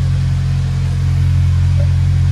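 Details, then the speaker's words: Honda Civic FA5 after replacing the missing header-to-mid-pipe donut gasket: steady, smooth low exhaust drone at idle with no ticking, puffing or rasp; exhaust leak fixed and running quiet. "yo it's so quiet and it sounds great"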